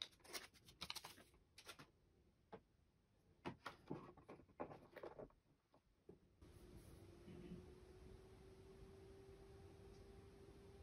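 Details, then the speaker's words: HP ProCurve 1800-24G (J9028A) switch after swapping its loud original fan for a Noctua NF-A4x20 with the low-noise adapter: a faint, steady fan hum, barely heard from the camera distance. This is normal, quiet running. "with the low noise adapter it can be barely heard from the distance this camera is to the switch and"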